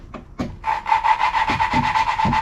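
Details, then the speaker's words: 8BA Ford flathead V8 valve job, lapping a salvaged valve in good shape with a tighter guide using compound: gritty scraping strokes with a faint ring, already starting to smooth; the seat is not yet fully lapped in. "hear that grittiness here we go it's already starting to smooth out this one's going a little easier than the last one"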